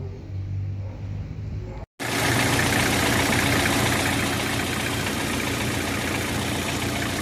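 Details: Hyundai HR diesel dumping oil into the exhaust: starts after brief gap, runs rough and loud with uneven clatter; suspected turbocharger failure.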